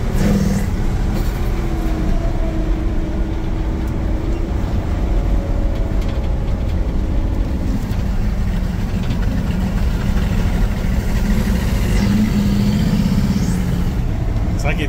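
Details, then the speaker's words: V8 Red Express truck with Holley Sniper EFI, under load on the road before the fix: a deep rumble with a loud, steady, ProCharger-like air whoosh and some bogging. Owner suspects the EFI sits too close to the intake and plans a 1-inch spacer. "Loud, almost air noise coming through it."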